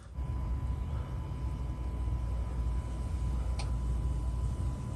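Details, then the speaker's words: 2000-2006 T1N Sprinter: with the key on, the fuel pump relay clicks and the in-tank pump under the van gives a faint steady hum for about 20 seconds, then shuts off. This is normal fuel pump priming. "After about 20 seconds or so, it should shut off just like that."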